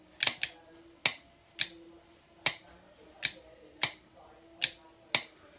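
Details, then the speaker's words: Winchmax 12V winch solenoid bench-tested from a 12.7 V battery: nine crisp snaps as the contactor pulls in and releases on the trigger terminals, the definite clunk of a fully functioning solenoid. "rather than a click so that is this the contactor staying connected and as i release releasing and that is what you should be able to hear from a fully functioning solenoid"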